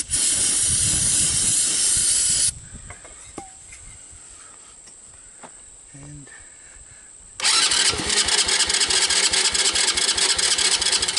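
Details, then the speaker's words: 2006 Baja Wilderness Trail 90cc ATV, carboned spark plug, run on starting fluid and choke: short rough bursts with a raspy, clattery rattle between pauses; clutch area sounds bad, no smoke. "oh the clutch sounds like junk trying to choke off not even trying you guys hear those bad sounds"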